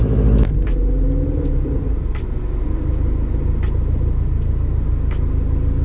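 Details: 2006 Subaru WRX first start after fixing broken PCV hoses, cleaning and refitting the oiled air filter: deep even engine rumble with a steady low beat, no stumble or missing pulse; earlier sputtering and stalling misfire now fixed.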